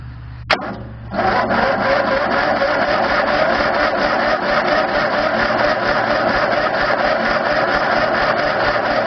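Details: Murray won't start: the starter churns at a steady buzzing rate for several seconds without firing, and the battery goes flat. Cranking no-start.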